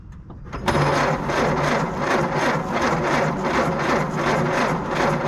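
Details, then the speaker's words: 1952 Willys Overland 4x4 truck, first start after a new Carter WO carburetor and new flywheel ring gear, starter drive and ignition, fuel system dry: starter cranks at about 2.5 even pulses a second, no grinding; it engages cleanly but the engine has not fired yet. "turn the ignition on and crank it over and it's going to take a few seconds for the fuel pump to pull fuel from the uh rear of the vehicle where the gas tank is"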